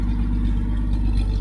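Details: 1972 Chevy Nova with new exhaust and Cherry Bomb muffler: deep even idle burble with steady low thump, no misses, ticks or leaks; healthy.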